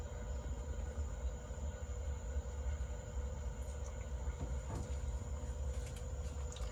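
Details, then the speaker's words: Frigidaire freezer LFFH20F3QWC, icing up and not cold enough: defrost heater running, steady low hum with faint constant high whine and soft crackle, no popping; heater working normally. "so you guys could hear the sound that's the sound of the heater heater is doing its job"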